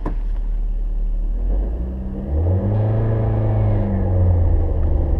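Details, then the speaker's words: Manual-transmission car taking off in first gear with the clutch slipped wrongly: engine rumble labours and droops as the clutch takes up instead of rising, a bogging takeoff. "using the gas and the clutch at the same time that's called slipping the clutch and when you do it wrong it sounds like this this is what you don't want to hear"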